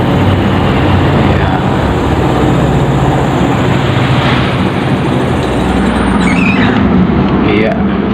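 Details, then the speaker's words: Sharp Super Aquamatic ST-69CL twin-tub washing machine, spin dryer motor after replacing a dual 11 µF wash / 3 µF spin capacitor: steady, even low hum at constant speed, then stopping cleanly; dryer spins normally. "ini kita coba ya motornya Iya Jadi untuk bagian pengering sudah berfungsi ya sehingga kita tinggal merapihkan saja ya"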